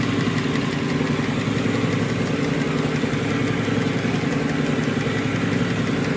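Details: Nissan Murano petrol V6 idling with uneven loping beat, code P0303 misfire on cylinder 3 (rear bank) from low compression, diagnosed by relative compression test without removing intake manifold.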